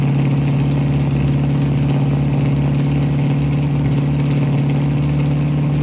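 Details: 1967 Ford Mustang V8 running again after new fuel sending unit, fuel lines blown clear and carburetor needle-and-seat fuel supply fix: deep, steady idle burble, even beat, no stumbling, misses or knocks; normal idle.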